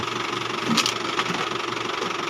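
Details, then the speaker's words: Isuzu Travis with noisy steering when turning, which persisted after a belt replacement: a steady, high, raspy whine over a quiet idle. The power steering pump was confirmed stuck up and is to be removed. "Problema niya mga boss yung steering pump na-stock up."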